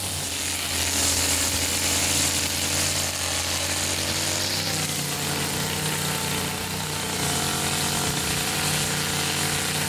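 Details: Older Stihl FS55RL two-stroke line trimmer after a tune-up and HIPA primer bulb replacement: a steady, high buzz with no stumbling or misfires. Normal running.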